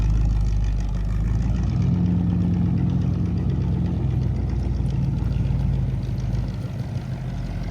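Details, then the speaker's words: 1959 Cadillac V8 after sitting for years, fluids checked and battery charged: deep, even burble with steady low-pitched pulses and no knocks or misses; runs like a champ, goes into all gears. "All right. Very very happy with that. Goes into all gears. Stops very well. She runs like a champ."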